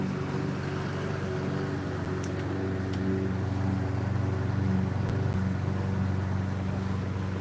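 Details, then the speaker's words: Pulse motor with new transistors and five-filar coils (26 gauge drive, 30 gauge trigger), holding around 665 rpm: even, steady low drone with soft regular pulsing and no knocks or stumbles, running smoothly. "oh man I love it man it's eort It Feels So effortless oh and it sounds so smooth"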